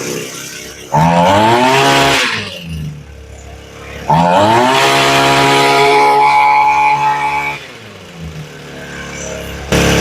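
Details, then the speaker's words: Echo SRM225 trimmer before carb rebuild, idle screw turned almost all the way up to stop stalling: revs in two bursts with pitch wavering and sagging near the top, a top-end flutter. "Now we turned the idle almost all the way up, but you can hear she still has a flutter at the top end."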